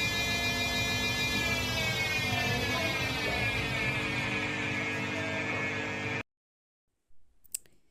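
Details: Samsung front-load washing machine, customer complains of noise: steady loud drone with a high whine through the spin cycle, then stops; noisy drum at spin, suspected bearing problem, not confirmed.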